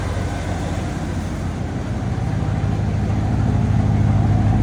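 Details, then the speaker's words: 1992 Ford F-150 with new idle air control, throttle position, MAP sensors, PCV and thermostat, cold start: steady, even low rumble idling down smoothly with slight smoke, no misses or hunting; normal cold idle. "wow that is incredibly smooth that is running so well sounds good"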